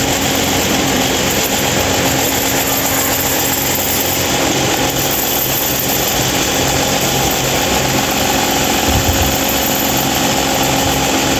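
Constant loud drone and airy roar with a steady hum that never eases; this fan runs far noisier than it should.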